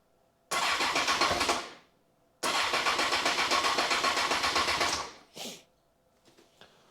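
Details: 2002 Honda CBR954 Fireblade, first start after a six-month rebuild with a new gearbox: two cranking bursts at about four beats a second never catch. Crank-no-start; fuel was later found at the injector inlet pipe.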